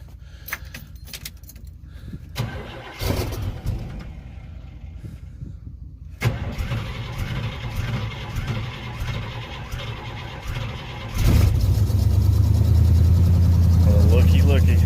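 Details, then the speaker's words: Lifted 1985 Chevy Suburban, sat for 4 years, restarted after checking fuel filter for tank rust: some clatter, cranks, catches at once, then smooth, steady, even idle with no stumble or miss; purrs. "Purrs like a kitten."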